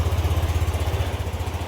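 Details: Yamaha NMAX 155 V2 that cranked but wouldn't start and had a check engine light, after replacing ignition coil, spark plug cap and spark plug; steady even low putter at idle, running healthy.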